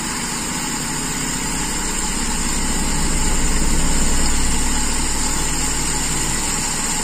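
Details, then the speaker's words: Toyota Kijang Super carburettor engine after raising idle: low, even idle with a steady beat of about four pulses per second, no hunting or stumble; air adjustment now set, idling very smoothly. "sangat halus sekarang setelan anginnya keatur Iya sepertinya berubah"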